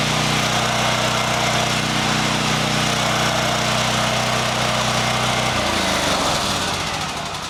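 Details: Champion EFI generator after fuel pump primed to pressure: steady even drone holding pitch, then settling lower, no misses or surging; running healthy.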